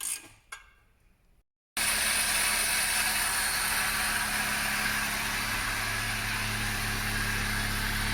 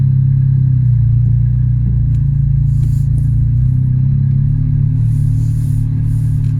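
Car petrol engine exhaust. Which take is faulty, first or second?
second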